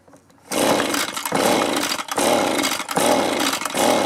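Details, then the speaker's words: Echo leaf blower, a small two-stroke that sat a long time, after its carburetor was cleaned and refitted, on choke: it revs, then sags and surges roughly every second without holding steady. It isn't pulling fuel. "turn on choke on something's not right we're not pulling any fuel so"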